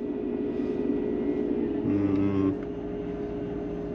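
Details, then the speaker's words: 2006 Mercedes-Benz CLS500 air suspension, 142,245 miles, suspension warning light on and front sitting low: steady electric hum with a short louder burst as the suspension pump runs while the car stays low; compressor is working. "well I know the pump's working because the bag on the right seems to be on and the ones in the rear see yeah I can hear it yeah the pump's running"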